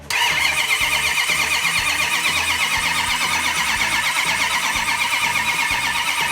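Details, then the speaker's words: Second-generation Hemi not run in three decades, cranked without ignition so the cam-driven mechanical pump primes fuel through the vapor separator into the carburetors and builds oil pressure: a steady starter whir with even compression pulses; normal priming crank. "Crank that engine over until I have fuel all the way up through the fuel Vapor separator into the carburetors and spraying through the accelerator pump system"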